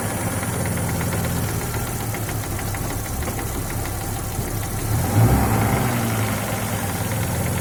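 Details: Audi 2.3 NG, warm idle: light rapid knock at three to four a second, absent cold, appearing at 70–80 °C and growing with heat, gone above 1400–1500 rpm; loudest at right sump near cylinder 4, fades briefly when its plug lead is pulled; cause unconfirmed.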